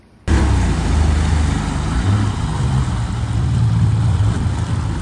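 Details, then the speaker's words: 2001 Mercury 50 hp two-stroke outboard with freshly built carbs and new lines, after lower unit reinstall: catches instantly, settles into a steady even low burble with no misses or knocks, water pump pumping, engine healthy. "I'll start it up for y'all and show you that the water pump's pissing and motor's healthy."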